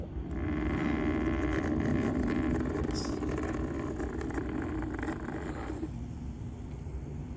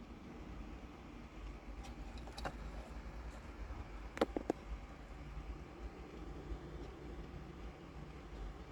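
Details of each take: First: Noisy cooling fan from an aftermarket Android radio in a Toyota Sienna, bench-run on 12V battery after about six months' use: loud rough buzzing whir, then cutoff; fix is replacing it with a larger, quieter fan. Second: Toyota Sienna 2011-2014 aftermarket Android radio after replacing its noisy cooling fan with a new silent brushless 12V fan, fan switched on manually: soft steady low hum in the car, fan barely audible, normal.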